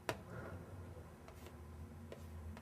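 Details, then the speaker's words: 1968 Firebird restoration, ECM commanding a fuel system prime: a few sharp relay clicks over a faint hum. The pump harness is disconnected from the tank, so the pump does not run. The fuel pump relay is working normally. "so it's priming the fuel system you can hear the click of the relay"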